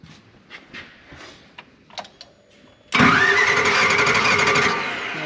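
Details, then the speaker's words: Non-running Nissan forklift bought at auction: steady hard cranking that never catches; fuel pump now running, fuel reaching the cylinder, throttle valve heard working, but no spark, so cranks without starting. "got fuel pump running got fuel coming out cylinder I hear the throttle valve working don't have no spark"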